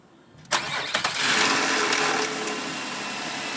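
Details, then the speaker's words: 2004 Nissan Quest parts vehicle with a light front-end hit, no damage near the engine. Short crank that catches quickly and settles into a steady, smooth idle with no knocks or misses; normal engine start. "Alright, let's listen to it idle. Motor sounds strong. Nice and smooth. Engine sounds great."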